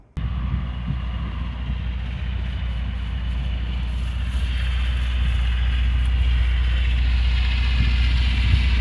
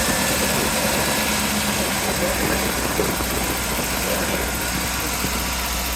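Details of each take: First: Dune buggy revived after sitting about a year and a half in a barn, fuel pump just primed. An uneven, loping beat under wind noise persists on a road test. It is a misfire from one dead cylinder; the number 4 plug wire was found loose and a wide-gapped plug is blamed. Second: Dune buggy, an air-cooled flat-four, after the plug behind its misfire was replaced with a new spark plug. It runs steady with an even beat under outdoor noise, all four cylinders firing normally.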